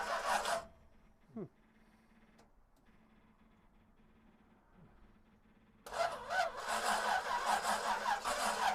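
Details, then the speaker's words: 1937 Buick Century with twin Carter carburetors on an Edmunds manifold, not started in years, electric fuel pump and fresh gas: starter spins it with steady compression beats, slowing as the battery drains, but no fire. "hmm that's odd it's like we don't have any fire but the switch is on huh so it says that the electrical so you can hear the bat you can hear the starter slowing"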